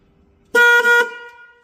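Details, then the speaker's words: 1968 Mustang rebuild, testing wiring circuits on a 5 amp supply with earths checked: single loud steady half-second honk with clean bright tone; horn working. "we have a horn. Horns are working in earth, right?"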